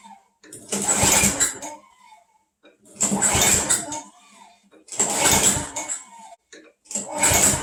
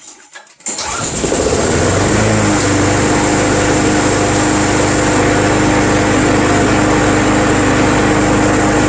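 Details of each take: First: Craftsman Eager 1 mower with Tecumseh engine on a cold day, primed five times: pull-start bursts about every two seconds, each a short rasp that never catches; cranks but won't start, owner suspects flooding. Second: Craftsman Eager 1 self-propelled front-wheel-drive mower, first start of the season on a cool day, as it just fired: catches after a brief pull and settles into a steady even hum with no misses; owner thinks the cold hampers starting.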